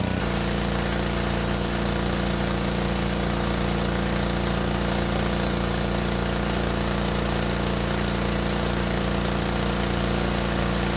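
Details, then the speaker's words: Gas-powered pressure washer test run after replacing the high-pressure pump: loud even engine drone with a steady pump pulse, no surging or stalling; running healthy. "Okay, finished running the test run, and looks like it did great."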